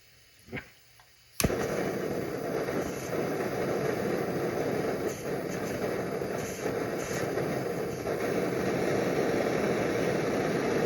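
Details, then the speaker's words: Early-model Primus Omnifuel stove with 0.25 mm jet, burner just opened and still cold: a click, then uneven roaring hiss that dips and pops irregularly until it heats up; burner sputtering, not preheated. "Now why is it doing this? Well, it's just not warm enough yet."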